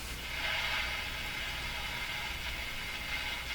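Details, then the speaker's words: Canadian Westinghouse Model 577 radio during capacitor replacement, previously intermittent local oscillator, antenna switched off: steady airy swishing hiss while tuning the dial suggests the local oscillator is operating. "so hear that swo swo that suggests the local oscillator is operating"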